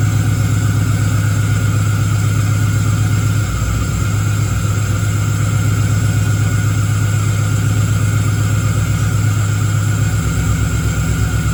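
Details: Engine-swapped Camaro with a 6.0 V8 at its first start after the swap, with the tune still being sorted: a lumpy, uneven, loping idle with irregular stumbles, popping and banging.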